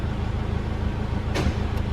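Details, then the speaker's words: Isuzu Rodeo RA/Colorado with a manual-switch 4WD system bypassing the TCCM, engine idling. A single loud clunk as the transfer case shifts out of 4-low; normal engagement. "so you can hear that loud clunk. So that's just gone out of 4 low."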